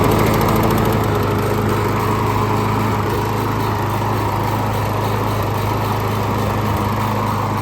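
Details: John Deere JS28 self-propelled mower after drive belt replacement with factory GX23501 belt: smooth, constant engine drone with steady hum, no slipping or squeal; front wheels spin, drive works normally.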